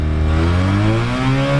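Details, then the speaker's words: 1974 Mazda Rotary Pickup, tired 13B, worn clutch before 5-speed swap, driving in third gear: engine note climbs steadily under throttle while the truck doesn't accelerate. Clutch slipping. "throttle we go nowhere engine continues to accelerate and we do not this was super annoying on the way home"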